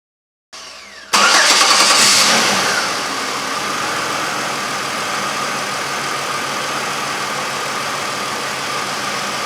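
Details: 2003 Chevrolet Impala after a P0305 cylinder 5 misfire repair with new ignition wires fitted and the code cleared: quick crank and catch, brief rev flare, then a steady idle with no stumble or miss; runs healthy.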